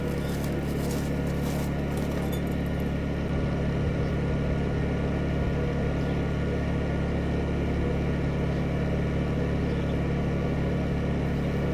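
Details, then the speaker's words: Honda 2000 inverter generator starting a camper's Dometic Evolution 15,000 BTU air conditioner fitted with a MicroAir Easy Start: steady hum lifts slightly as the compressor kicks in, no bogging or surging, light didn't flicker; normal load pickup. "Okay, so there was the slight ramp up. I didn't see the light flicker. So, that is a Dometic evolution 15,000 BTU on our Honda 2000. Not bad."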